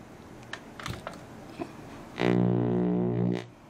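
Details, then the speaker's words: NAD 3020A/B amplifier at power-on, with the volume at minimum: a loud, low buzzing hum swells for about a second and dies away, then everything is normal. Caused by the faulty capacitor C533 (47µF 50V) in the preamp mute circuit. "the problem is the power of noise that means even when the warning control is turned to the minimum and when you turn on the amp you can hear a very large noise"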